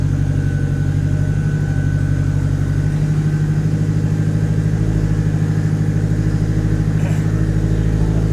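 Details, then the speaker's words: Honda Civic being set up for tuning, first start: a low, lumpy idle with a dull, soft exhaust note and no crispness because the ignition timing is retarded; ignition is then locked at 16 degrees to sync it with the engine. "So we're gonna need, you can hear it right now, it's retarded, so we're gonna need to sync it."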